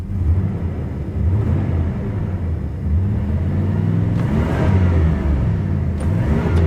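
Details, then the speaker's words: 1987 Chevy Monte Carlo SS V8, carbureted, parked 20+ years, fully warmed up, oil pressure 30 psi: revs rise but flatten with no deeper roar joining in; carburetor secondaries not opening. "I'll tell you what I don't hear, though. I don't hear the secondaries. Yeah, I don't hear the secondaries. You hear the secondaries on a car like this."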